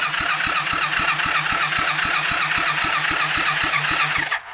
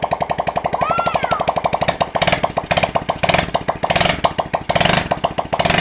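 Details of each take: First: Rebuilt kids' 110cc quad on electric start: steady cranking about four beats a second, never fires; no fuel getting through because the new homemade carburettor gasket's middle was never cut out. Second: Kids' 110cc quad, first start after a full rebuild, rear lifted so the throttle can be blipped with the wheel spinning: a quick, even popping single-cylinder exhaust that revs freely and runs cleanly.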